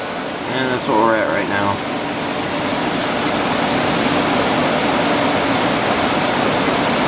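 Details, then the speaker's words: 5,000 BTU window air conditioner with Rechi Precision rotary compressor, switched to low fan: steady airy fan rush with low even hum, no knocks or rattles; normal rotary compressor running. "turn it on low for a second so you can hear the compressor better"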